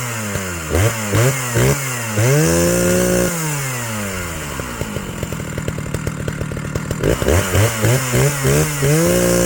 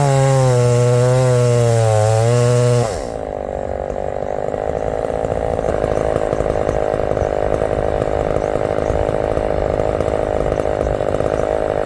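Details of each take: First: Old chainsaw, carb just leaned on top and richened on bottom with idle dropped: revs up, then sags into a slow uneven sputter and recovers. Owner calls it classic fuel starvation. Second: Big heavy chainsaw at full throttle in hardwood: a high, clean scream, then it digs in and holds a strong, steady pull without bogging. Normal operation under load, praised for its power and throttle response.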